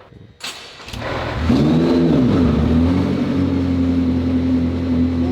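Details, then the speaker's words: McLaren P1 after 3.8L to 4.0L engine conversion, refresh, gearbox and hybrid drive assembly service and ECU tune (GT-R coils, secondary air deleted); quick hybrid-drive spin-up, immediate catch, brief rev flare settling to steady idle; clean start. "was very uneventful. Cuz it's going to hybrid drive mode, or it starts up so much faster than a regular um engine with a starter motor."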